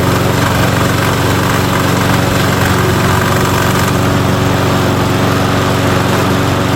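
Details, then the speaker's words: 2005 riding mower running: loud steady drone with uneven clanking from the wheel that has its pin, washer and drive gear. The clank stops when a foot presses on it and returns on release; the other wheel's pin is missing. The mower also smokes badly at startup. "This one has the pin, washer, and the drive gear. So, that one works barely, but you'll hear it. It clanks, but then I'll put my foot on it, it will stop, and then I let go, it will happen again."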